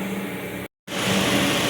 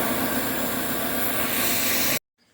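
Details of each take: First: 2002 Dodge Neon after replacing the intake tube at the throttle body that caused idle hunting: steady, even idle hum with no hunting; normal idle after the repair. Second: 2002 Dodge Neon hunting at idle: loud steady hiss over an even idle from a hole in the accordion intake tube behind the throttle body, which stops when covered and the idle steadies; intake air leak.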